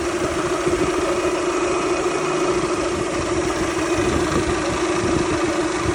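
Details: Toyota Camry 2.2L at idle with a thin, steady whine above an even idle that never changes pitch; owner unsure whether alternator or water pump, and most mechanics say it is normal or can't hear it.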